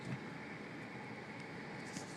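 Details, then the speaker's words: 2008 VW Passat 2.0T with a misfire, running on coil packs borrowed from a 2003-ish Jetta 1.8T, at operating temperature from inside the car: steady, even engine hum with no sputtering; misfire gone though the check engine light stays on. "okay guys so I'm in the car that's up top writing temperature that sounds really good it's not sputtering or anything"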